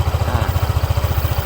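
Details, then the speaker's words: Cold-start idle of a 2021 Honda PCX 150i, 9 months old, about 8,400 km, stock engine and exhaust, checked at 5,647 km: even, steady, quiet low putter with no knocks or rattles; normal idle. "มีนะครับเครื่องเดินเบานิ่งปกติเลยนะครับเสียงเครื่องเงียบๆนะครับ"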